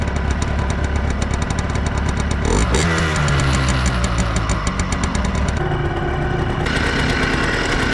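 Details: 2003 Yamaha Blaster two-stroke after full rebuild with new aftermarket parts, test ride: crisp rapid crackle rising and falling cleanly through the gears, no knock or bog; normal running.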